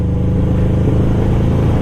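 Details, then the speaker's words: 1996 Suzuki Katana 600cc out of fuel, climbing uphill: a labouring low drone with uneven pulsing sputters as it starves for fuel; the owner had been running it dry to work on the carbs. "I'm like out of fuel. I don't, this is uphill. I'm gonna stall here probably. I just stalled now."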